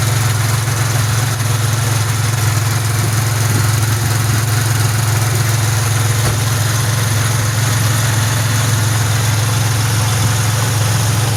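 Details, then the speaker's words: 2006 Pontiac Grand Prix that keeps stalling daily, first start after reassembly with injectors, fuel rails and MAP reconnected, engine fully cold: steady idle hum, sounds more stable, no vacuum leak heard; intermittent stalling cause still unknown. "I don't hear any Sounds a little more stable. Yeah, I don't hear any vacuum leak."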